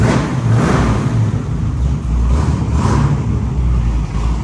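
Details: 1946 Chevy rat rod with a fresh 383 small block (10.5:1) and new valve covers with relocated PCV to cure oil burning: starts quickly and revs cleanly, deep even V8 rumble with no knocks or misses; healthy.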